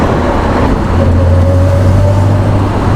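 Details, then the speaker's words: Reliant Scimitar just after converting from worn power steering to manual steering rack, driving: steady low engine drone and road rumble, no knocks, suspension noises, brake grinding or backplate scraping; normal driving. "Yeah, all the noises that I'm hearing are normal. You know, the engine sounds good, there's no knocking or weird noises coming from the suspension, the brakes aren't grinding, or the back plates aren't scraping the discs or anything."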